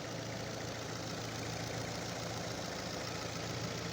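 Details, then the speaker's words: Fiat Strada 1.4 Fire engine warm idle during drive testing for hard restart; very quiet, even hum, no knocks or misses, fuel pressure steady at 3.5 bar: normal idle. "Vean cómo funciona este motor. ¿Cómo suena este motor. Un relojito. Sí, un relojito."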